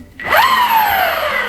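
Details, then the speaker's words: Verreal RS 2.0 electric skateboard (14Ah Samsung 35E 10s4p, street wheels), new unit, motor spinning freely off the ground via remote: sharp whine climbs fast, holds and eases slightly, smooth and even; louder and more aggressive than Evolve Bamboo GT, healthy. "yeah that sounds a lot louder then the evolve GT and a lot more aggressive"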